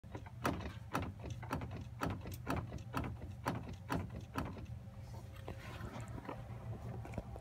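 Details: Jeep Wrangler JLU: sharp metallic driveline clunks about twice a second over a low drivetrain rumble, from between transfer case and rear axle, heard mostly in lower gears at low speeds with throttle changes; owner unsure whether normal.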